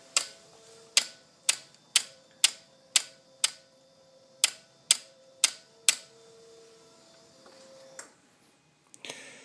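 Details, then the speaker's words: 2007 Ducati 1098, voltage regulator reportedly done, battery kept on a tender: the start button gives sharp dry clicks about once a second from low on the bike, with no cranking. The problem has worsened over months and the bike sometimes resets. Cause unknown. "The bike doesn't want to start. It's just making a clicking noise, if you can hear. It's coming from down here."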